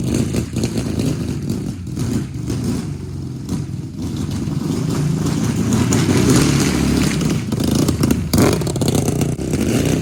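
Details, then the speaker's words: 750cc twin in a half-scale NASCAR kart, warmed up after months of sitting: it ticks over evenly at idle and blips cleanly with no knocks or misses, running well. "So this thing is running real good. It's kind of hard to obviously open it up back here,"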